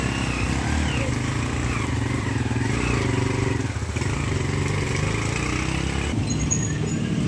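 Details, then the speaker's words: Barako single-cylinder motorcycle after engine overhaul for heavy engine clatter, carburetor adjusted, on test: even, steady beat with no clatter or knocking over the exhaust; engine healthy after repair. "Yan guys goods na yung ginawa nating ano barako boy los inaayos niya yung carb kasi yung ayun guys okay na yung paraako ni sir."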